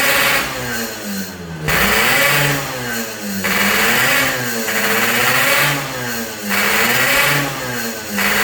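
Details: Yamaha RX King two-stroke after repairs for compression loss (worn right crankshaft seal and O-ring, resurfaced block, fixed head leak), air-screw tuning: crisp revs rising and falling in even repeated blips, dropping back cleanly; healthy and responsive.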